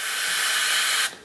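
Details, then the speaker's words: CNC total-loss way lube system, compressed air fed through a lube line to the saddle: a strong, steady hiss of air flowing freely for about a second, then it cuts off cleanly. The lube line is clear. "hook up the compressed air and then open it you can hear air is passing out through the saddle"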